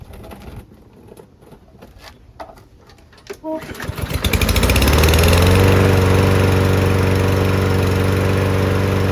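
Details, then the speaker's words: Newer Toro lawn mower that would not start because of water in the fuel, running after fresh oil was added: handling noise, then it fires, picks up quickly and holds a smooth, even speed; running healthy. "Yep. Sounds good."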